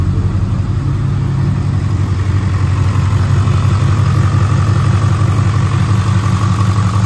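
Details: 2022 Ford 6.7 Powerstroke diesel idling at first start right after installing an S&S DCR high pressure fuel pump replacing the CP4: even, steady deep rumble, no knocks, ticks or misses; normal idle.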